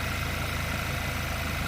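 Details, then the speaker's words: 2010 VW Golf GTI 2.0 petrol, just fitted with a new battery while checking a suspected parasitic drain: steady, even idle, smooth low throb, no misses or knocks; started perfectly, alternator charging fine. "okay the new battery is in place engine is running it started absolutely perfect"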